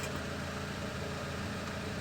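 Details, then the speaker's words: Peugeot 206 air-conditioning cabin blower fan, hidden above the glovebox, running with engine on after cleaning out a small plastic piece that had caused intermittent whistling; even, steady airy hum with no whistle or rattle, normal blower fan operation. "Aqui é o ventilador. Vou ligar aqui para vocês dar uma olhada no funcionamento."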